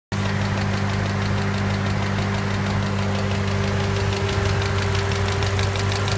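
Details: 2010 Ford Mustang GT 4.6L 3V V8 idling, recorded under the hood, with fast, sharp ticking from the passenger-side cylinder bank, present hot or cold and rising with revs; caused by a collapsed roller follower.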